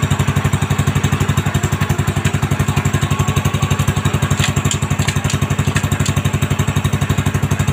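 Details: Honda Supra X 125 single just after fitting a new cylinder block set with a standard-size piston and reinstalling the exhaust and carburettor: even, steady thumping putter of about three beats a second with no rattle or knock; normal idle.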